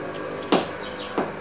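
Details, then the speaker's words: Audio speakers popping three times over a quiet hiss as an electric fan is unplugged from a normal power strip without surge protector: a switching transient reaching the sound system. "Hear that? Clicking sound from the speakers. So we don't want that to happen."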